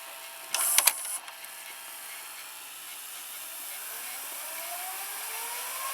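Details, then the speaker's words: Early-1990s Toshiba M659 VCR: a click, then a soft whir climbing in pitch as the tape speeds up. Normal, notably fast fast-forward, using the same idler as another Toshiba VCR. "it's fast-forwarding into pretty good speed it's very fast for early nineties VCR like this the fast-forward"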